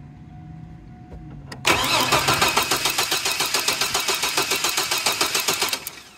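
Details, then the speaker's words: 2002 GMC Sonoma 4.3 Vortec, parked since 2017 with rat-chewed wiring and old fuel: cranks in even chugs but won't start because the fuel pump isn't turning on. "I have a crank no start situation and I can't get the fuel pump's not turning on"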